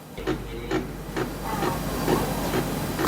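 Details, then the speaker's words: Ricoh laser printer C261 (DNw/FDW) while printing: loud even knocking about two clacks a second over a low motor hum; black toner cartridge drive gear suspected, especially non-standard cartridges; first fix is replacing the black cartridge. "เสียงดังแบบนี้นะครับสาเหตุเกิดจากอะไรนะครับเดี๋ยวเรามาดูกันครับ"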